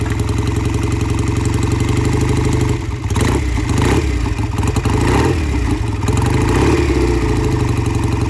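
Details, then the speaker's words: Vintage British twin motorcycle, sat unused for a couple of years, carburetors cleaned twice to revive it; road test after cold start, steady even low thump with light throttle blips, pulls cleanly; runs smooth and strong, shifts and brakes okay, repair done. "I like this bike. It runs really nicely, smooth, shifts okay, brakes are okay, runs strong."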